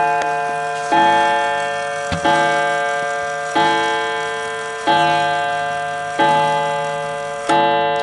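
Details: 1920s 8-day Napoleon hat antique mantle clock striking 8 o'clock with the pendulum in place. Clear, evenly spaced bell strikes about every 1.3 seconds, each ringing cleanly: the strike train is working properly.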